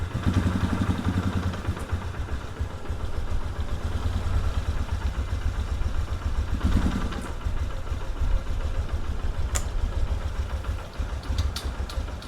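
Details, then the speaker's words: 1997 Polaris Sportsman 500 single-cylinder: thumps unevenly and stumbles, firing irregularly and never settling into a clean idle, still rough with the choke off; rough running. "can I choke off choke off nope we still run horribly"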